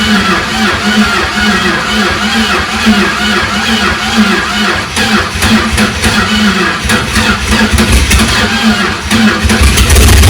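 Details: Chrysler 360 LA V8 in a Valiant CH hardtop, first start in a long time after starter replacement, fuel poured into carburetor: very loud, uneven uncorked rumble with lumpy, irregular beat hunting as revs change; runs but rough, cause unconfirmed.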